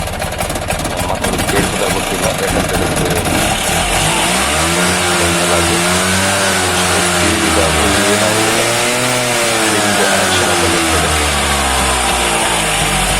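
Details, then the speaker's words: Bajaj two-stroke auto rickshaw after fitting a new oil pump: crisp buzz picks up and settles evenly through throttle blips, started easily, no misfire or knock; engine runs healthy. "ಲೈಟಲ್ಲಿ ಕೂಡ start ಆಯಿತು."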